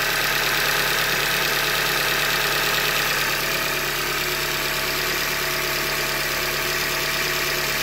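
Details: 90K 2015 Hyundai Elantra Limited petrol engine idling with a steady knock about three a second: short block failure from a manufacturing defect; short block replaced.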